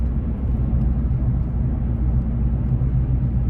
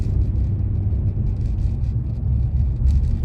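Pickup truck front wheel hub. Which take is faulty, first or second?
first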